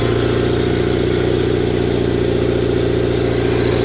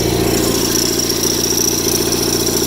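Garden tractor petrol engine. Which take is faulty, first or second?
first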